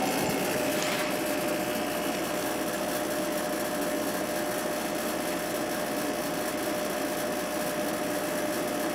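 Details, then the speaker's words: Sharp 8,500 BTU window air conditioner, freshly cleaned, no rust, two broken bottom parts, just started in the window: steady, even fan rush with faint constant hum, pretty quiet; outside grate vibrating, usually stops after a while. Normal running. "Pretty quiet. Too bad that grate on the outside is vibrating. That usually stops after a little while though with these."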